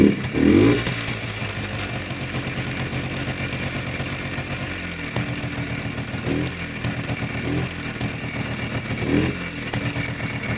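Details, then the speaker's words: Polaris Trail Blazer 250 two-stroke, bought as non-runner, exhaust held by baling wire: buzzing at raised idle, revs sagging and wavering; stalls at low idle, runs only at high idle; owner suspects low compression. "It has to run at a higher idle. Once it comes down to a low idle, it won't stay running,"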